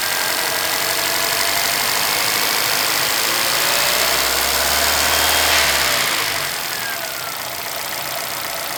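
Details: Chevrolet Celta VHCE Spirit 2011 at idle: sharp, even tapping about four times a second over the steady engine note; owner asks what the knock is, cause unknown.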